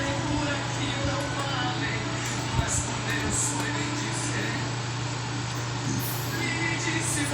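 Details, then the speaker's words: Electrolux LTD13 13 kg top-load washer after replacing a broken actuator: agitates with only a low, steady hum, no knocking or clunking, running normally. "a diferença é grande assim não escuta nada"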